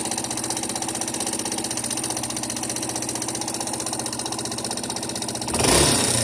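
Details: Yamaha Serow 225 (XT225) single-cylinder auction engine, swapped in using an XT225 3RW1 CDI, idling with a rhythmic tapping that rises with revs; abnormal mechanical engine noise of unclear origin.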